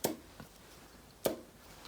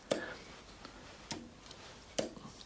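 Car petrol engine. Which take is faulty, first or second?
first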